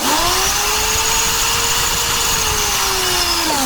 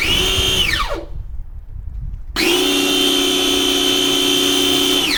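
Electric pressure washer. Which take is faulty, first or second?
second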